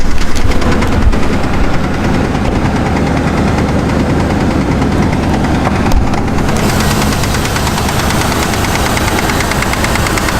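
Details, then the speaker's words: Truck at idle, with antifreeze leak also noted: heavy, regular knocking through the idle, no misfire, oil pressure normal; knock seemingly from one side, lifter/follower suspected but unconfirmed. "It was rapping pretty heavily. So this is what I heard. Yeah, it's a hell of a knock, huh? Truck runs perfectly, doesn't have a miss."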